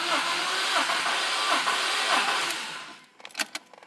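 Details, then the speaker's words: First start attempt: starter cranks with a lopsided rhythm, one soft beat each turn, then stops; cylinder with zero compression suspected from a damaged or chipped valve, unconfirmed. "Might have a dead cylinder 5. He thinks the valve's fucked up, so we'll see here momentarily."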